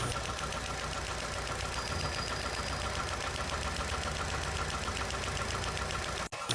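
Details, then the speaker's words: Fast, regular dry tik-tik ticking over a steady idle with engine vibration: a small visible spark from a leaking high-tension wire, or possibly a cracked distributor cap, causing misfire; part needs replacing. "Nakita mo yon at narinig mo yun tik tik tik tik ibig sabihin Meron pong lak ang ating High tension wire na kung saan nakita natin na May maliit na apoy"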